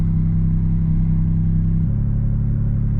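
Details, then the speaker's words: Suzuki Cappuccino after a short drive, check engine light still on: no longer surging but holding a steady fast idle around 1500 rpm with a slight drop in note; high idle, owner suspects something idle-related, cause unconfirmed. "so it's not surging anymore but the check engine light is still on I mean it's also idling at 1500 which it wasn't you know a couple minutes ago"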